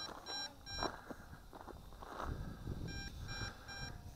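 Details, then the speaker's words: MJX Bugs 2W GPS FPV drone in open desert flight, about 120 m out with two battery bars left: the controller sounds repeated high-pitched groups of low-battery warning beeps over outdoor handling noise, signalling it is time to land. "but it does warn you it gives you plenty of warning hear that beeping I still got two bars of battery so you get plenty of warning"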